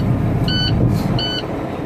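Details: Diesel truck just started after an EGR tune-up, with the back pressure sensor still unreplaced: even low idle rumble with no knocks, plus short beeps about every 0.7 seconds; the engine sounds settled and healthy.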